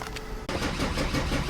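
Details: Starter cranks the OM606 turbo diesel slowly and evenly without firing; engine won't start, with mass airflow sensor wiring damaged and MAF and fuel shutoff valve codes suspected.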